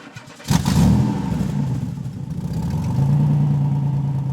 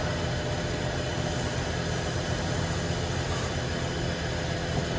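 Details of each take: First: 1960 Corvette during restoration, first start in over 20 years once points fired; cranks briefly, fires with a burst, wavers, then holds a steady fairly even idle, normal start. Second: 1960 Corvette, first start in over 20 years during restoration, in neutral; steady starter churning that never catches, crank no start, points suspected not firing but later found working.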